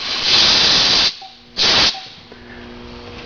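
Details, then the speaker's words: Shop air compressor with homemade air dryer and condenser; two sharp bursts of hissing as drain opens and closes after cutoff, then quiet; slightly longer hiss just drains the condenser, normal. "If you don't mind the hissing and a little bit longer, I mean, all it's doing is draining the condenser out of air. That's all that extra hissing is."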